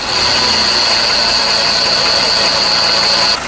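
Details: VW Polo 4 engine at idle: a loud, steady, high squeal rides over the engine, then cuts out abruptly. The accessory belt was found split in two places and the belt tensioner bearing was worn; the noise was gone with the belt off.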